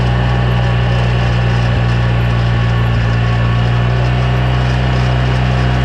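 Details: 2009 Polaris RZR 800 S: steady low engine drone with a faint uneven rattle from the rear end; owner suspects differential, pinion nut or a CV joint/axle, unconfirmed; rear end rattle.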